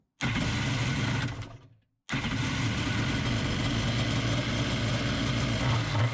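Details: Kawasaki 1100 CDK2 carburetor swapped onto a Kawasaki X2 two-stroke with a temporary throttle bracket: fires up, cuts briefly, then restarts and holds a steady raspy run with crisp throttle response; carburetion sounds healthy.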